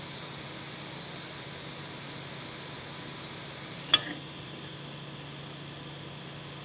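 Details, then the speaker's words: Creality CR6 SE 3D printer after installing quiet Noctua fans in place of stock power supply and motherboard fans, mic on the print bed: soft steady high hiss with one brief click, smooth; noise reduced from about 53 to 49 dB. "okay so yeah as you saw there it went down from like 53 to 49 which was actually more than i was expecting"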